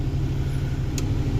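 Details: 1978 Glendale motorhome engine after the alternator was sent out for testing: a short, steady, low idle with an even beat and no misses, sounding settled and healthy.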